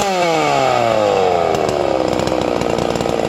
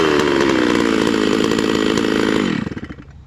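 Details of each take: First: Hypo 660 chainsaw build with port work and a triple-ported muffler: fires, revs up quickly and settles into a crisp, steady high buzz with no stumbling; snappy, healthy running. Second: Hypo 660 chainsaw build with modified triple-port muffler, cutting oak, estimated above 13,000 rpm: screaming revs with faint burbling break-up at the top; high-speed mixture slightly rich, four-stroking, safe tune.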